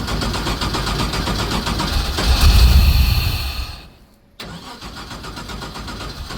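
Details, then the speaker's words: Abandoned LS1 V8 speedway car on starting spray: fires and runs roughly for a couple of seconds then dies abruptly; only runs on starting fluid, fuel-starved until new fuel pumps are fitted. "Alright, well, she'll run when we get the fuel pumps and spend more fucking money, yeah?"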